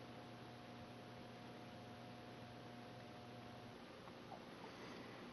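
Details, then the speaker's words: 2009 Canarm Twister ceiling fan mounted on rafters, switched to reverse on low: very quiet, steady low hum with a faint tone above, no ticking or wobble; almost silent, normal motor hum. "It's not transferring the hum through the lumber or whatever. It's like almost silent."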